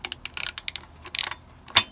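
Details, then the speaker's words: Honda CBF125 engine that won't turn over freely, turned by hand: gearbox turns freely, one direction OK, the other gives light ratcheting clicks then a sharp metallic clack where it binds; metal-to-metal contact inside, cause not yet confirmed. "Now, if I rattle it around, I think you can hear that looseness, like there's metal to metal contact going on inside."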